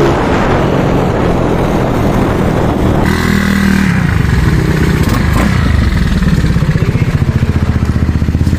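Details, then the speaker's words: Freshly reconditioned carbureted Yamaha Mio Soul 160 big-valve big-bore scooter test ride on road: even unbroken drone, no knocking or rattling; previously noisy and rattly engine now quieter, not fully silent because it is built up, running well. "Testing na natin. Napakaganda ng takbo niya. So yan, medyo tumahimik na."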